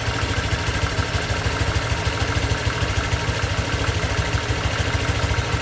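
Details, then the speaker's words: 2023 Honda Vario 125 new scooter at just over 1,000 km, idling: steady, even low putter with smooth regular beat, no knocks or rattles; owner reckons it runs smoother than at 500 km, crediting correct break-in. Normal idle. "Kalau prediksi saya ini di KM 1000 lebih ini mesinnya tambah halus guys ya."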